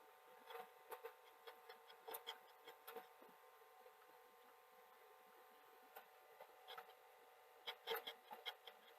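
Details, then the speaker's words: Sony SL-HF950 (US SL-HF750) CX chassis Super Betamax VCR; quiet mechanism with irregular scraping rubs in bursts over the tape motor, take-up jittery and dropping when rubbing, labouring and slapping; take-up reel table fault. "You can hear when you get the rubbing, the take-up drops. So we've got a real table fault, which is not too horrific to look at, but might be to film to an extent."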